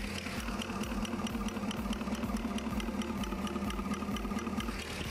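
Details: 2016 Holden Commodore VF 6.2 L LS3 V8 at idle, injector heard through screwdriver on its body, mic in palm: crisp, even ticking about two per second; normal injector clicking, compared with suspect cylinder five.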